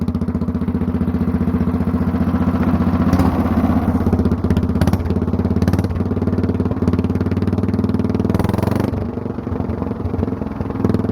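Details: Mostly stock Honda clone single with stage-1-style header and 10 lb cast-iron flywheel on the crank, cam modified for full compression at low rpm; choke-on start, slow then suddenly louder and quicker as automatic compression release disengages, settling into an even, heavy beat; normal start-up.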